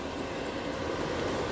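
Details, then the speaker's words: DeWalt diesel heater, newly installed, at 214°C, hot enough to burn up close; steady even roar of burner and fan, no knocking or ticking; normal running at full heat. "We're at uh 214° C. All right, she's got some heat. Yeah, any closer, you'd probably burn yourself."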